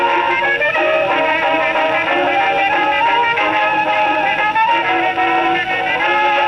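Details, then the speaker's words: Rebuilt HMV No 4 reproducer on a Victrola VV-50, after the owner reported distortion and buzzing and an over-tight isolator gasket was shaved: music plays clearly with no buzz or rattle; no cause found yet. "There you go. Still sounds good."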